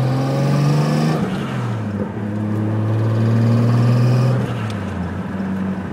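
Engine revs up and down with a droning whir that climbs and falls with speed; something abnormal, but the cause is unclear.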